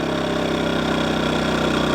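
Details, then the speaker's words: New KINGS 2kVA generator, first pull on choke, economy switch off, unloaded: even, steady single-cylinder putter at idle with no misses, knocks or hunting, fairly quiet, no smoke; running healthy. "that's freaking unbelievable it's not that loud I don't know if you can hear me talking over top of it but it's really not that loud"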